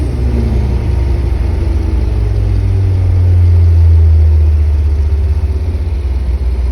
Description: 4G54 engine. Spun No.3 big end bearing.